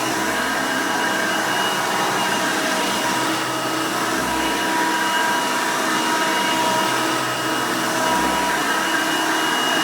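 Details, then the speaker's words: 1990 Hoover Elite 200 U4467 upright vacuum with 5 amp motor: loud, even motor roar, steady pitch, no rattles or surging. Normal running. "all right runs pretty good but before we end the video let's go ahead and demonstrate the attachment converter that i actually have when i originally got my hoover elite 350."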